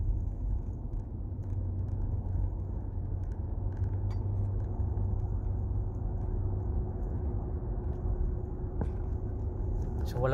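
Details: Nissan Patrol Y62 driving after rear wheel hub bearing replacement for a humming noise: only low, even road rumble, no hum or drone building with speed; bearing quiet.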